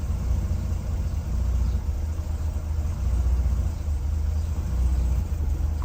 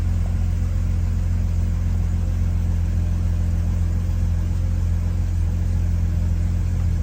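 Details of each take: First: Classic Mercedes W114 with electronic points just started, running a low deep idle with a steady rumble; a misfire remains and the exhaust is leaking slightly. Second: Classic Mercedes W114 petrol engine just started, steady deep idle with a misfire and a faint puffing pulse under the rumble from a slight exhaust leak.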